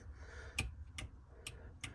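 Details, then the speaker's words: Metro 6R4 Impreza charge cooler water pump relay on a switch: four crisp light clicks about two a second, the switch clicking but no relay clack, so the relay isn't energising. A dodgy switch earth is suspected; the relay clicked once the earth was touched. "that's a switch click in there not the relay so something's not right even though it's earth and it's the same thing"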